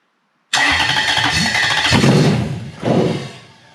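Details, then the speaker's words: Toyota 1UZ-FE non-VVTi V8 with a non-immobilizer ECU swapped in place of an immobilizer ECU: catches and runs rough with uneven surges, spitting pops and exhaust smoke, like timing out; igniter outputs wired the wrong way round. "see it feels like the timing's out that's when the igniter is around the wrong way there's the splitting the smokes out of the exhaust there"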